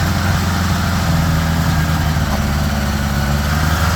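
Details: 1975 Honda GL1000 Gold Wing flat-four after water pump re-seal: smooth, fast, steady idle on choke with even low drone, no ticking or clatter; no leaking, much less smoke, sounds pretty good.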